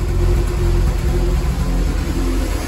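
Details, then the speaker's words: VW Polo 6N2 after new catalytic converter: lumpy, uneven idle wavering in loudness with lots of engine smoke; scan reports barometric pressure sensor failing, and a loose sensor duct to the intake manifold was found; rough running from vacuum leak. "and there's a lot of smoke coming from the engine let's switch it off result is that it says the barometric pressure sensor is failing uh I just found this completely loosen here and this little duct also this goes to the manifold"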